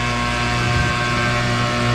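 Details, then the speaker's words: GE top-load washer pumping out water: loud, steady droning hum with a rough buzzing edge from the drain pump, which is bad and needs replacing; everything else okay. "That little drain pump right here is bad. We're gonna get a drain pump there. Everything else is okay, I just gotta get a drain pump."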